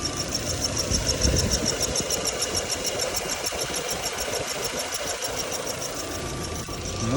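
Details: VW Passat B5, cold engine at idle: thin high-pitched squeal pulsing quickly and steadily from under the hood; the source is still unknown.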